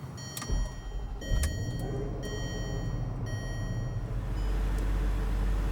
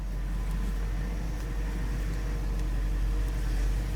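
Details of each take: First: 2007 Range Rover Supercharged (L322) at idle after high-pressure power steering hose replacement, during bleeding: whine rises and falls as wheel is turned lock to lock; fluid still foamy with air, pump noisy. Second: 2007 Range Rover Supercharged (L322) at idle after high-pressure power steering hose replacement and bleeding: smooth engine hum with no pump whine or groan; power steering quiet.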